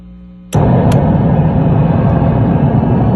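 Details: Bogner Ecstasy Red pedal on a 9V battery, into a Fender Hot Rod Deluxe IV with a Fender American Professional II guitar: a loud, steady roar and hiss starts abruptly and holds even with volume and gain down. This points to an internal pedal hardware fault, since battery power rules out the external supply.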